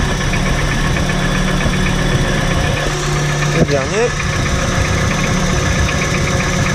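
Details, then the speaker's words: VW T4 2.5 AAF engine at uneven idle: a steady knock continues as each spark plug lead is disconnected in turn, so a misfire is ruled out; the engine revs freely above 3000 rpm, and the knock is louder under load. Source not found. "ça cogne toujours, hein."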